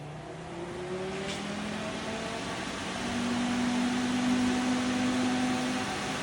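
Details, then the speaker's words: Small 12 or 14 inch water-to-air heat exchanger fan heating an insulated shop: quiet, smooth, even whir with soft steady hum, no rattles or rubbing; running normally. "So it just has a fan on the back. The hot water circulates through just like a radiator, and that fan just blows out air through it. Pretty quiet. I'll fire it up here so you can hear the fan run."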